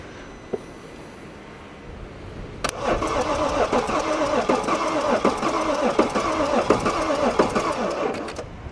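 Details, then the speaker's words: BMW M550d F10 diesel, first start with a booster after coolant-leak repair (water flange, intake gaskets) and a long time unused: catches and runs roughly about six seconds with uneven pulsing, then cuts out by itself; stalls after starting. "ok première tentative là il a coupé tout seul ou normal ça aime pas du tout ne pas tourner pour le booster c'est bon tu peux retenter"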